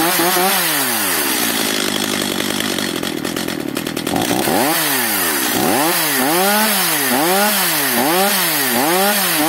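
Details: Stihl MS 230/250 chainsaw after the idle speed was raised. Revs swing up and down in surges and it runs only so-so. The air filter is completely clogged, and weak compression is suspected.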